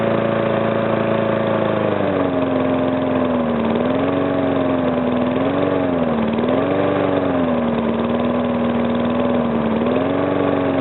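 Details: Briggs & Stratton mower engine first start after rebuild: the knock came from compression leaking past the piston, fixed by rearranging the rings and cleaning. Even fast-idle buzz, runs better, little to no knock.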